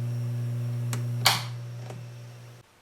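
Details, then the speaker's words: Fender Hot Rod Deluxe tube guitar amp, after fixing a bad phase-inverter resistor, nothing plugged in: loud steady low hum cut off by a clunk; bad, slightly bulged main filter capacitor lets mains ripple through, confirmed by jumpering in a substitute cap. "I've got nothing connected to the samp but you hear that she's got some hum"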